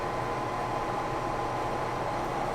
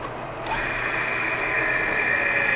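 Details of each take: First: Lion lathe boring a 19-inch sprocket bore at 250 RPM, about 50 thou per pass; steady high ringing over the lathe drone as the cut hits the harder center plate: boring bar chatter, spindle needs slowing. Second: Lion lathe boring a 19-inch sprocket with a 1-3/4 inch boring bar running a CNMG 432 insert, sped up to 180, light cut: steady, even cutting hiss with no chatter; surface finish much smoother.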